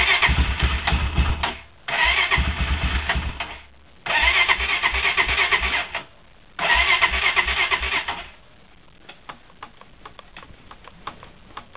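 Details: Cold start attempt on a Honda quad: three two-second cranking bursts that nearly catch but never fire; cranks but won't start, it almost started this time.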